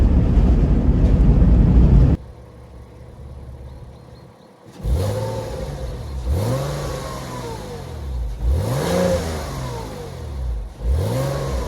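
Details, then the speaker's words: Porsche 986 Boxster after accident repair (new front suspension leg, sill fixed), first road test, heard from outside in drive-by: accelerates through several gears, revs climbing cleanly after each shift, no misfire; healthy acceleration. "That's the first road test and yeah, I would say a great success. It um drives just as I was hoping it would."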